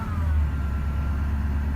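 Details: 2011 Ford F250 6.7 Powerstroke diesel, stock, ~124k miles; thin high whine over the diesel rumble, starts immediately at engine start, varies with rpm; cause was a bad alternator.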